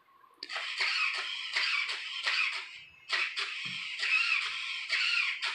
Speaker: As far as, but it's like crying trying to move that sucker.